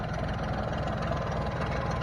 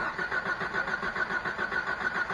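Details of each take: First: 1989 Jeep with 4.2 engine, sat three years, run after fuel finally reached it despite a leaking fuel line and with no coolant yet: a steady, even low idle with a firm regular pulse and no knocks or misses. It holds idle on its own; normal idle. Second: 1989 Jeep with 4.2 L, sat three years, run out of gas before storage: steady starter cranking at about 3.5 turns per second for four seconds without firing; fuel not yet reaching the engine, owner suspects a dry-rotted fuel pump.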